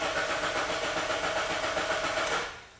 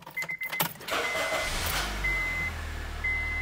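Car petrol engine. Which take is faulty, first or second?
first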